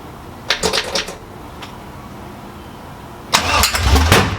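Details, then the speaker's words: 6.0L V8 Trans Am build, first start, exhaust not fitted: two bursts of sharp cranking cracks with loud popping from the open pipes as it tries to catch; backfiring on startup. "Woo! That was a funny noise. That was a firewall."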